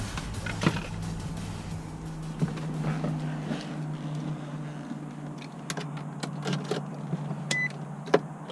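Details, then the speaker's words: 2004 Infiniti G35 warm engine at normal temperature idling smoothly with steady low drone, no ticks or knocks; owner says it purrs, slight oil burning on headers noted. "she purrs. Purrs like a kitten. She's ready to go."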